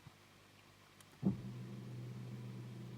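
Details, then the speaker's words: 2004 Holden/Opel Astra Ecotec, fuel pump activated via Launch X431 bidirectional test with ignition on; click then steady low hum, voltage drops 13.5 to 13.3 V: normal fuel pump operation. "you can hear the pump you can see the voltage drop thirteen point five thirteen point three"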